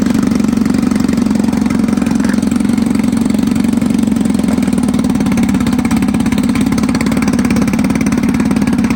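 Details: 1954 Evinrude 7.5 HP Fleet Twin outboard, sat for years, revived with new coils, cleaned points, rebuilt carb; running with hood refitted, staying cool: steady, even two-stroke buzz, firing regularly without stutter or knock; normal running.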